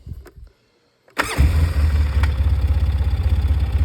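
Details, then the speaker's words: Free Polaris 700 quad loosely reassembled after being taken apart: fires after a couple of clicks and settles into an even, steady low thump with no misses. Normal idle. "Seems to be running pretty good."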